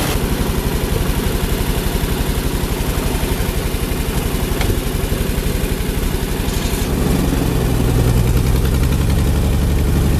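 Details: Ford 8N tractor with Ford six-cylinder flathead truck engine, about a quart low, idles steady and even at a fast idle, picking up slightly near the end; runs healthy after the 3-wire alternator energizing wire was disconnected to stop run-on.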